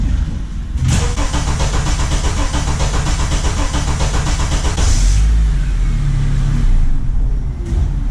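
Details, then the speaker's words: 2004 Honda Accord with code P0335 and no rpm signal on the scan tool: long steady cranking for about four seconds, the engine briefly catches, stumbles and dies, a delayed start; faulty crankshaft position sensor, replacement sensor ordered. "okay so it kind of does start up and then it dies and it doesn't want to go so the crank sensor is faulty and it's also a delayed start"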